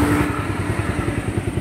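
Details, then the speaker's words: Raider 150 motorcycle after top-end refresh (old cam lobe damaged): single-cylinder settles into even idle, steady pulses, no top-end rattle or tapping; standard original sound, healthy. "Ari na boss, ang original. Yan. Ari na boss, standard na yan, sir,"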